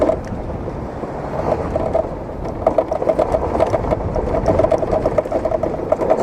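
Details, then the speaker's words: Idling motorcycle with a light, fast ticking rattle buzzing steadily, which started that morning; owner suspects a part that came loose inside the instrument panel, unconfirmed. "esse barulho aí eu não sei o que que é ó isso aí com certeza peça que soltou dentro do painel"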